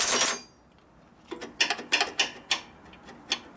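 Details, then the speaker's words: 1941 Harley WLD 45 with 56ci stroker flathead, shift linkage just adjusted: sharp light metallic clacks, about six in two seconds, as the shift lever bounces against the shift gate where it should; linkage correctly adjusted. "Now it bounces right up against the shift gate where it should. Right there. You can hear it. See, it's just off of it right now when it's sitting there, but it bangs against it."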